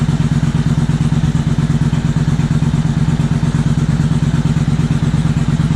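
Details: 2000 Suzuki Intruder 800 V-twin after carburetor cleaning and synchronization, on umbilical tank, engine cooled down a little: even, steady lope about two beats a second, no misses, surging or clatter; carbs balanced, normal idle.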